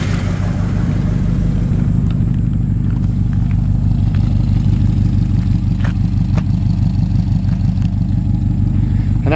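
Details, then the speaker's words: 1963½ Ford Galaxie 500 XL, rebuilt 289 V8 with cherry bomb mufflers, at idle: lumpy idle with sharp rapid puffing tick on each firing pulse, about three a second; exhaust leak at the donut gasket. "you can hear that exhaust leaks coming from that donut down there that donut gasket"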